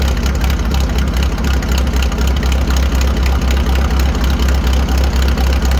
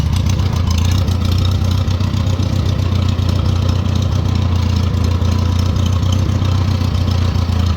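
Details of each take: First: 1940 Farmall H on straight pipe after new spark plugs, some oil getting into cylinder two: deep even thumping with no skips; all four cylinders now firing, running much better. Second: 1940 Farmall H with M&W 9-speed transmission, in third gear after firing on all four cylinders in fifth; low steady chug with occasional uneven, stumbling beats; engine starting to miss under load.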